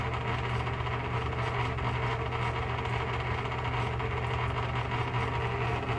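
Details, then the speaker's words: Fan running: steady mechanical whir with a dry, rough hum from bad motor bearings that need a lot of oil. "bearings that's pretty bad just definitely needs a whole lot of oil"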